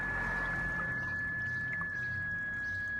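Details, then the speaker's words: Dolium beer keg being filled manually by gravity with no pump: a thin steady whistle over hissing gas as the relief valve trips when the pressure gets too high. Normal venting. "Il n'y a que de la gravité, j'ai pas de pompe là, hein, donc ça monte, mais enfin, ça coule par gravité, donc à un moment donné, quand la pression est trop élevée, la soupape se déclenche."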